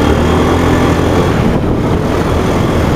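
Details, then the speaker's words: Honda Beat FI injected scooter, after repair fixed stalling and hesitation, road test at full throttle with wind noise: strong, even engine roar pulling cleanly with no stutter or cut-out; running normally. "fullol normal cuman ini bahaya satu tangan guys Wow banyak angin"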